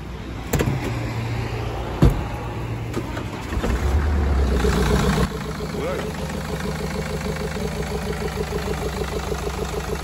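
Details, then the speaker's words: 2013 BMW 520d diesel, about 180,000 on the odometer, towed in with severe misfire and heavy blow-by and white smoke; cranks, catches, then idles rough with a lumpy, stumbling beat; misfire. "차량이 엄청나게 부조 하면서 블로 바이 가스가 엄청나게 났었어요"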